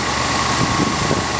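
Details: 1966 Ford Thunderbird: short stretch of steady, even idle rumble with no knocks or ticks; engine sounds healthy, normal idle.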